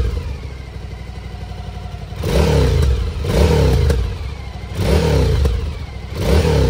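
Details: Suzuki DL1000 with a newly fitted LeoVince L12 exhaust; low, even burble at idle with four clean throttle blips, steady pulses, no knocks, deep exhaust note, healthy engine.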